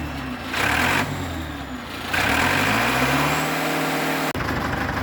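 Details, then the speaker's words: Bulldozer diesel about 10 minutes after start, after air filter cleaned: revs up cleanly and drops back smoothly, very responsive, no misses, knocks or hesitation; normal running. "Okay, I just started the bulldozer about 10 minutes ago. It's very responsive."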